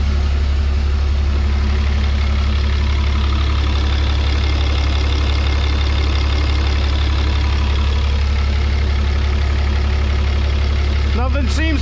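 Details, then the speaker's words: 1000hp Cummins 6.7 drag race truck build, first start on a new fuel cell with AirDog pump: deep, steady diesel idle with an even beat and no misses or knocks. It fired quicker than expected, with fuel coming from the relief valve port. "fuel coming out of our relief valve port good deal man she fired right up a lot quicker than I expected"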